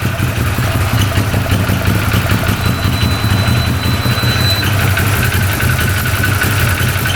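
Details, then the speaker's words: 2013 Arctic Cat Wildcat 1000cc twin UTV after fixing intake air leak from missing O-ring; steady low idle, even and unbroken with no stumble or misfire, both cylinders firing, returns right to idle; normal. "yep it's running on both cylinders all right well we got that problem fixed that is awesome comes right back down to idle"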